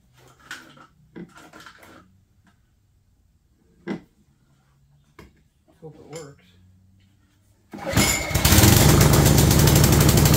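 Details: Craftsman 22-inch walk-behind string trimmer, bought non-running, after cleaning and priming bulb: small engine starts at once and runs steady and even at full speed.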